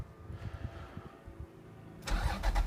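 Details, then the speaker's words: 1992 Toyota MR2 with a freshly finished 1MZ-FE V6 engine swap: quiet rumbling, then the engine catches and settles into a strong, even idle. A clean, healthy start. "Sound is probably the most impressive thing about the V6 swap."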